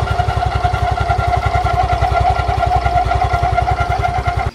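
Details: Yamaha Fino scooter, about three years old, CVT recently serviced with new rollers, noise returning when engine hot: rapid rough chatter pulsing about twice a second over idle; not the dry bearing, traced to unevenly worn front pulley face.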